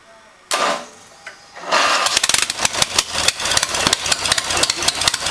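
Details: First test run of a new 14 hp Briggs & Stratton single-cylinder on a Turf-Power Plus lawn tractor, started with booster cables after fitting the carburetor, fuel line and PCV hose. It cranks briefly, then catches into a crisp, steady popping exhaust beat and runs normally.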